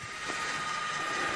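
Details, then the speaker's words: Rockwood UltraLite 5th wheel stabilizer leg motor retracting: even, steady whine at one pitch as the leg winds all the way up and tucks away, no grinding or catching. Normal retraction; mechanism needs white grease to avoid seizing. "off it goes it goes all the way up and tucks away nicely"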